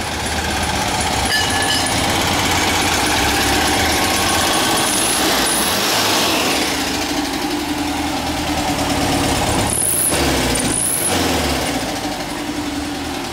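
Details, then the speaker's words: 1959 VW single cab, air-cooled flat-four with new heater boxes burning off residue and a cut-down baffled VW tailpipe tip; steady busy chatter with slight tinny ping from the tailpipe, no knocks or misses, running healthy. "that sound all the guards are together it's burning all the crap off of the uh the new heater box that are on here and uh that's it she's a goer"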